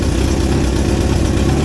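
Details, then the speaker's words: 1963 Hillman Super Minx after fuel pump and voltage regulator repair and negative-earth conversion: steady, low, even idle with no knocks, misses or squeals, charging and oil pressure okay; normal idle. "yeah I think it's charging all right and yeah the red lights off over here no down PL oil's okay seems to be running"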